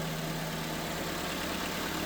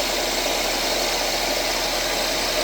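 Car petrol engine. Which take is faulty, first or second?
second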